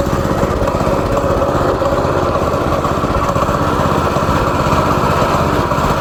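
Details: Go-kart small single-cylinder engine after carburetor cleaning, screwing the main jet fully in and tightening a loose part: fast, steady idle buzz with no stumbles or surging; running cleanly.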